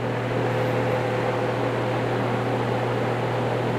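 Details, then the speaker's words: Grainger/Dayton 2MA11 24" ball-bearing fan after capacitor swap to 8 µF to slow it, running about 900 rpm or a bit less, noise down from about 73 dB to mid 50s; steady low hum with even airflow rush, no rattle or bearing growl, normal. "about 900 rpms maybe a little less and you can probably hear it's not quite that loud"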